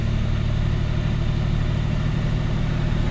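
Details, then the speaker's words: 1988 Pontiac Fiero GT 2.8-litre engine at spring startup after storage since fall 2008; good oil pressure, a little smoke; even, low idle hum with a smooth, steady beat, no stumble or miss, running on all six cylinders. "we're running on all 6 cylinders now. 2.8 liters of fury, my friend."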